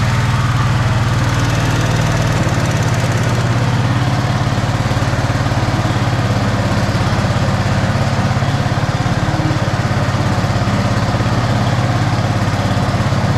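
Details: Snapper Yard Cruiser 42-inch zero-turn mower, first start after mouse-nest cleanup on a battery that sounded like it was failing: steady, even single-cylinder putter holding constant speed, no misses or knocks, blowing insulation junk out the back; normal idle.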